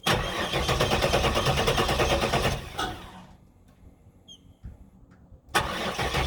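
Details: 1994 Trans Am Formula V8 that died under hard acceleration, now cranks but won't start despite new Opti, coil and ignition module; has spark, owner suspects low fuel pressure/fuel pump: steady cranking about three beats a second, pause, cranks again, never fires.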